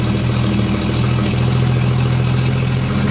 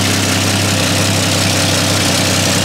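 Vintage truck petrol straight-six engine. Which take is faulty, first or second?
first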